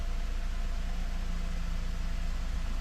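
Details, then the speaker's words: 2008 Honda Accord after replacing split intake duct: smooth steady low idle with even beat, no hunting, surging or high idle. Normal idle. "Alright, seems to be idling just fine now with that duct replaced."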